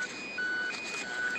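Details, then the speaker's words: Garrett AT Pro metal detector in Mill Park, Milwaukie, Oregon: short repeated electronic tones around 1.5–2.5 kHz over outdoor hiss as the batteries go dead; low battery warning. "oh, my batteries are going dead. You guys hear that noise? When does that? Battery's going dead."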